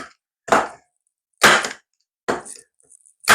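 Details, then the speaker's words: DeWalt 5-in-1 Multi Tacker on the plus power setting, heavy-duty mode, firing 10 mm staples into softwood: four sharp crisp snaps, louder and more powerful than standard. "can hear it's a bit louder a bit more powerful and again it's kind of making it look a little bit messy if I'm honest"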